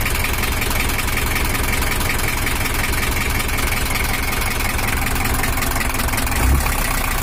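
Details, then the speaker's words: Toyota Hiace LH11 diesel at low idle after the engine was set up: bigger fan fitted for cooling; even, steady clatter with no missing beats or knocks; sound is back to normal, expected to smooth further once fully bedded in. "ini udah selesai baru suaranya usah kembali normal Karena untuk sepuran nya masih belum rata seutuhnya"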